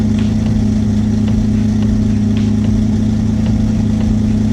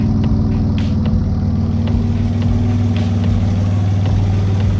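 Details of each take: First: Twin-engine Mazda MX-3 idling after fuel was added in the tune until the idle cleaned up, plus a touch extra; steady, even idle hum, smooth low drone with no misses or stumbles; clean idle. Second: Twin-engine Mazda MX3 project idling with no load before tuning: steady low rumble with an uneven, loping pulse, judged by ear to be running very lean, a rough lean idle.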